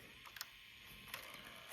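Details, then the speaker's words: Sharp VL-H870 ViewCam Hi8 camcorder after repair of tape transport that ground when ejecting: tape loads with quiet ticks and short motor whirs, no crunching or grinding; transport now working normally. "Yeah, it sounds good actually."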